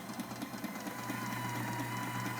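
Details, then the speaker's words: Sailrite Ultrafeed sewing machine with WorkerB Power Pack servo motor at a fixed speed while resistance is applied: a steady motor hum and even stitching rhythm keep their pace as the motor boosts power and torque to hold speed. "you can hear, the machine is boosting its power, adding more torque to maintain your speed."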